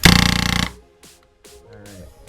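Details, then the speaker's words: Spyder Fenix paintball marker after a rebuild, regulator set too low: a rapid stuttering chatter of about a dozen pops in half a second instead of one clean shot. More regulator pressure fixed it, to about 300 fps with no leaks. "obviously that's not right. Give her a little bit more juice here."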